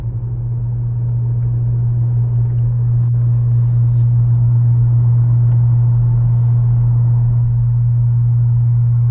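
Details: 2018 Honda Accord Sport 1.5T, steady deep hum constantly under the engine note; abnormal drone, source not yet identified.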